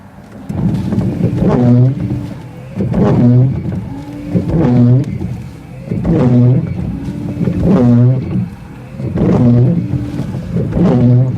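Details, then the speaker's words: Car rear wiper squeaks and groans as it drags across the glass, repeating about every second and a half; rear wiper worse than the front. "so the wipers are making noise as you can hear the back one the back one is actually the back one is actually worse"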